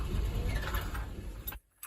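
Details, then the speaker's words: Farm excavator diesel after fuel priming: a heavy, labored cranking rumble that never catches cleanly, then cuts out. At times it hiccups, idles up and blows white smoke; hard starting. "Is it good? Come on. Doesn't sound the best. Come on."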